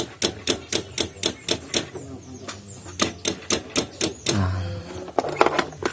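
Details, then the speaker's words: Honda Vario scooter with a two-month-old battery: electric starter gives only quick tek-tek clicks, about four per second, with no cranking; cause is the weak starter relay inside the CDI, not the battery. "itu penyebabnya sebenarnya ini ya, bukan dari aki ya, tapi itu dari kayak relay yang di bagian CDI-nya ya."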